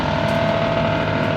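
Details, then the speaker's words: High-speed plastic shredder/granulator for recycling, started empty after resetting e-stop, before feeding RHDPE: steady even mid-pitched hum, no knocks or grinding; normal idle. "So let's turn it on. Just twist this knob to reset the e-stop, press the start button."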